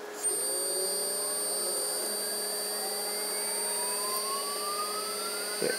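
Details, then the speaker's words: AC induction motor on a DIY-kit inverter, 12 V battery pack, foot-pedal throttle, no load: at full throttle a thin whine climbs slowly over several seconds. The motor is sluggish reaching speed, cause unknown, with no regen above a certain rpm. "slow to crank it up and get get going up to speed and then I can just stop it and it'll stop"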